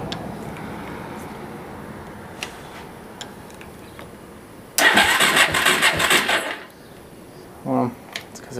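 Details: Suzuki LT-R 450 ATV with intermittent spark after cleaning a rusted coil ground: about two seconds of rough cranking that never catches; engine turns but won't fire, owner suspects a fried CDI since only one spark appears.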